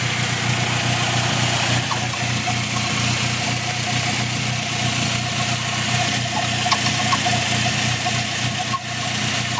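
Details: Faint irregular high chirps over a steady idle; went away when the clutch was pressed (throwout bearing suspected), now constant and getting louder, only after 10+ minutes of driving; source unclear.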